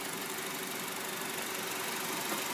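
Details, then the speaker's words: 2012 Honda Civic LX, about 130,608 on odometer, used car in good condition: petrol engine idles with steady even hiss and hum, no knocks or misses; normal smooth idle. "no visual as driving noise no road noise no shock noise no bearing noise engine idle smoothly"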